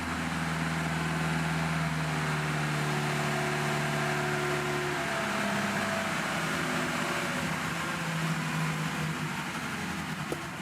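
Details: Lada Niva carburettor engine woken from winter storage, warming up, long-standing idle problem; steady, even low smooth idle hum that holds without faltering or dying; idling fine.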